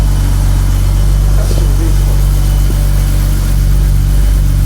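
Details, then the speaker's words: Rare 1980s Hartge-tuned BMW 5 Series straight-six: deep, even, steady idle with no knocks, misses or rough patches; running smooth and healthy. "yeah that's ID is really nice that's so nice it's just so it's that that six the smoothness of a six"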